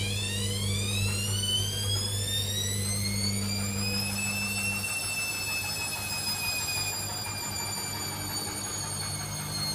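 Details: Hoover Dynamic Next washing machine: high whistling squeal that climbs with drum speed, then slowly drops; owner unsure if normal.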